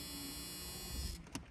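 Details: 1985 Chevrolet Camaro Z28 that sat 13 years: steady electric whir for about a second then a soft stop as the power window rolls; window motor working normally.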